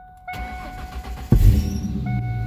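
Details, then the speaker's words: 1998 Ford Mustang first start after sitting about ten years, new battery and gas tank, fuel pump heard priming: short crank, fires on first try, settles into steady even idle; normal start. "oh most turnover fired right up right up on the first plane great city for 10 years wow"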